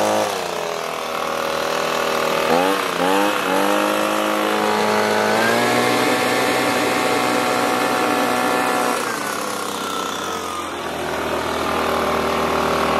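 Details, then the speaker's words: Echo PB265LN leaf blower two-stroke, trash find just freed from seizure, WD-40 and oil smoke burning off: buzzy, fairly steady running with pitch wandering and dipping; owner feels it lacks power. "i do feel it is lacking some power so i just want to check something real quick"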